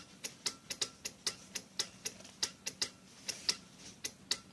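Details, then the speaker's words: Mercedes SLK R170 Kompressor non-start, K40 relay box: dead ECU relay replaced by the soldered-in air pump relay, box powered: crisp even clicks from the ABS and engine control relays; relays switching cleanly. "Annetaan virtaa tänne ja siellä pitäisi naksua 2 releettä. Niin kuin näkyy ABS-rele ja Nyt naksuu tuo moottoriohjauksen releikki."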